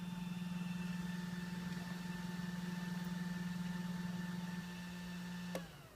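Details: OPT7 H11 LED low-beam bulbs on a 2012 Toyota Camry Hybrid XLE, heard from inside at idle or in EV mode: steady oscillating hum with faint pulsing whirr, stopping abruptly when the headlights switch off.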